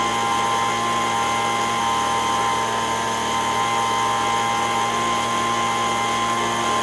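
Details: Older Echo ES-210 two-stroke leaf blower after its surging was repaired: steady high-pitched scream at full throttle, clean and even, with no hunting. Reads 7,100 RPM on the tach, within the 7,000–9,000 spec. Normal full-throttle run.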